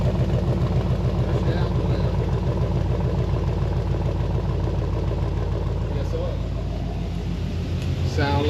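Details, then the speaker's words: V8 with 400 transmission, idling after start on a weak battery: steady low even idle, no ticking or knocking; sounds like it should, and codes scanned look good. "Sound like she's supposed to. I scanned the codes. We're looking good on that."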